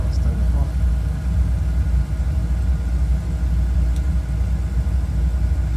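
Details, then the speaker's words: Oil-fired heating boiler burner after repair: it had made strange noises and shut off because the pump coupling wasn't gripping the pump so oil wasn't drawn in. Now a steady, even low roar, no sputtering or surging; runs smooth. "Excelente. Y suena bien suavecito, ¿va?"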